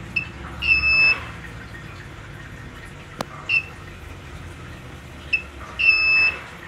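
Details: Cheap inverter trying to start a 1/2 hp motor pump: a short high chirp then a longer beep, repeating about every five seconds, as the overload alarm sounds and the pump fails to start.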